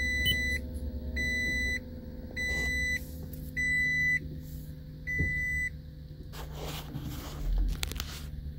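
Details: Toyota Prius Hybrid Synergy Drive with check engine and brake lights on: five slow high warning beeps about a second apart, then clunks as READY drops out. Scanner reads P0A94, DC/DC converter fault; P0A80 hybrid battery also referenced.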